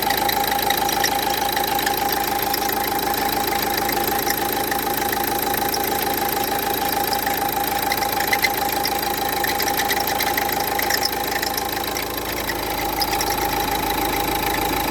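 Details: Renault Duster 1.5 dCi diesel at idle, before alternator pulley replacement: steady rattle with a faint high whine over it, constant with no rev change; worn alternator pulley.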